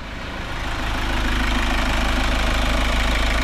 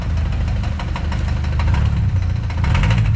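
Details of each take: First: Kia Sorento diesel rechecked after new adjusters, EGR and turbo cleaning: steady even idle with smooth low rumble, no sharp ticking or knocking; now quiet and healthy. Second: Kia Sportage engine: rough idle with steady low rumble and repeated sharp light knocks on top; mechanic says it is not fuel knocking, cause not confirmed.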